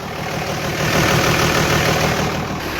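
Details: Hotshot diesel truck with a VGT turbo, warming up with the exhaust brake in use and high idle being turned off: even diesel clatter and steady rumble, no surging, hiss or hunting; normal idle.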